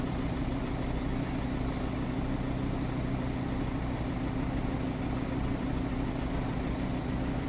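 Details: Audi RS3 idling at a traffic light: steady low idle with an uneven, loose pulsing underneath and no clear rhythm; abnormal idle noise, cause unclear.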